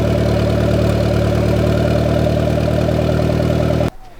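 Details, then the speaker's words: Honda EK Civic just fitted with a large turbo kit, distributor timing and fuel rail leaks uncertain: steady even idle, constant pitch, no misfires or knocks; normal idle, smoke seen earlier attributed to spilled oil. "everything seems to be running I did see some smoke here before but I did spill a lot of oil on the car so I'm guessing it's just from that"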